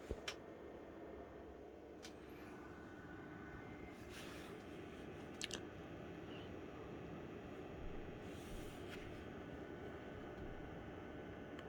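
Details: BenQ X1300i gaming projector at startup, recorded less than a foot away: soft steady airy whoosh with faint hum and a few light clicks; normal projector cooling fan.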